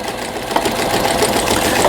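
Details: Brother 847 computer sewing machine, made in Japan, 220V, after repair (buttons previously did nothing); fast even needle chatter, no catches or grinding, stitching smoothly while sewing decorative pattern 43.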